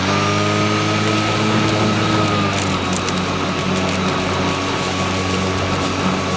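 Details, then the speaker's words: Stihl RMA510V battery mower running with eco mode switched on: an electric hum whose tone sags and wavers under light load, almost as if it cuts out, but it keeps running normally; this is normal eco-mode behaviour. "now let me go ahead and turn on eco mode and you'll kind of hear the difference of it it almost seems like it cuts out but it's not"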